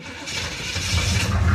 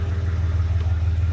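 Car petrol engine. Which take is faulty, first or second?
first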